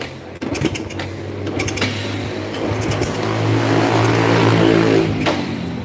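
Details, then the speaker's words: Honda Grand motorcycle kick-started after fitting an aftermarket SDG CDI (not original Shindengen): repeated kicks about four a second, engine turns but never catches, no spark; it starts again with the original CDI. "Malah nggak mau hidup. Kok nggak mau hidup?"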